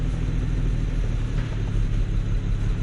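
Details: BMW 335i E92 with N54 engine, rough idle and a felt pulse: deep, rough rumble with an uneven pulse of about three beats a second that keeps stumbling. Cylinder 6 misfire moved to cylinder 2 (P0302) when the coil was swapped, so the ignition coil is failing.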